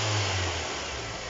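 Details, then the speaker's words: Kia Cerato after its alternator with a collapsed rear bearing, the source of the knocking, was replaced: a short rev falls back smoothly with no knocking, whining or rattling; it sounds clean. "Увеличьте обороты двигателя. Вокруг царит тишина. Никаких посторонних шумов."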